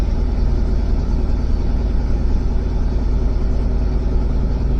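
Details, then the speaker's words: 2005 Ford F150 just after starter replacement, sat a few weeks, started right up: deep steady idle rumble holding an even beat, no misses or surging; normal idle. "Started right up though. So, good deal. I'll let that run for a few minutes"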